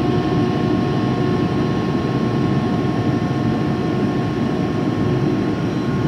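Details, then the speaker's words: Used 2005 Boge 40 HP variable-speed-drive compressor, 79,131 run hours and 1,909 loaded hours, at max rpm building pressure (holds around 105): even, steady motor drone with constant low hum and faint whine, no knocks or rattles; normal running. "right here it is at max rpm obviously it's trying to get up the pressure"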